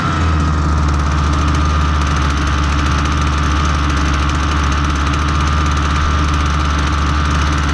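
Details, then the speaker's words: Husqvarna 326LD trimmer after fixing a stiff carburetor metering diaphragm, on known good fuel with no attachment fitted, so idle sounds fast: steady, even two-stroke drone with no surging or stumbling, running properly. "at idle the trim is going to sound like it's running kind of fast"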